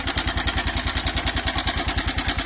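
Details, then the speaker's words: Verza motorcycle idling before repair: rough idle with fast regular metallic clatter about ten a second on every firing pulse, very harsh-sounding cam chain; mechanic checks the cam chain tensioner by loosening and turning it, and the noise seems to disappear. Cam chain rattle. "Nah itu ya sahabat semua kasar sekali suaranya ya kasar sekali suaranya"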